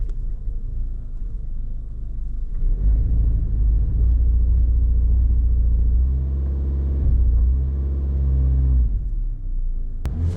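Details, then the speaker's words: 2013 Toyota Corolla with an intermittent misfire for a year: it finally acts up and the engine revs with a lumpy, stumbling beat as cylinder 3 misfires fully. "Misfire 3 is misfiring. And now it's fully misfiring."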